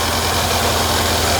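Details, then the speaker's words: 2012 Mercedes W212 E63 AMG V8 with a cylinder 8 misfire code, warning light and low power; injector connector unplugged on one cylinder to demonstrate: uneven, lumpy rough idle from a dead cylinder. "8기통에서 하나에 이렇게 그 인젝터 선을 뺐어요. 시도를 한번 걸어볼게요. 어떤 증상인지 봐봐요. 그냥 잘 될 뭔가 좀 거칠지 않아요? 네."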